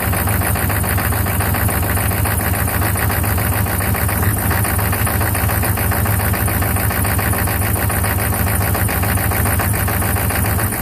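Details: 1995 Chevy 6.5 turbo-diesel idling: heavy, uneven clatter with lumpy, unsteady low pulses. Rough idle, cause unknown.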